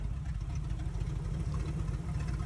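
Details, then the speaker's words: Jeep Cherokee engine once warmed up; the idle runs poorly and low, with a deep, uneven, loping stumble and the engine trying to stall, a bad misfire. Compression checked okay and it ran well cold. "you can hear how bad is misfiring in this video and uh trying to stall out it was idling really poorly and really low having a lot of issues"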